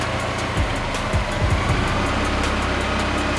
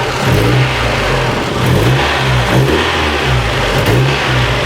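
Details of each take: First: Mazda Miata, earlier dropped to about 250 rpm with heater and lights on, now holds a steady even idle with heater running, no dipping or hunting; idle issue not recurring. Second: Mazda Miata engine warming up: idle sags to about 250 rpm, low and lumpy, near stalling; idle drops from about 1000 to 200 rpm every five seconds; owner suspects vacuum leak or idle air control valve on intake manifold, unconfirmed.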